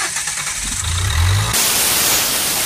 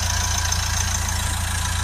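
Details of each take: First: Nissan Qashqai 1.5 dCi (Renault engine), battery flat, long driven with a broken exhaust pipe, DPF back pressure over 30 psi: a labored crank that barely catches, then a loud rush of escaping gas; engine can't run through the blocked DPF. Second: Nissan Qashqai 1.5 dCi (Renault engine) after cleaning a severely blocked DPF, back pressure now about 5–6 on the gauge, near new: a steady, even diesel idle with no misses or knocks, a normal idle.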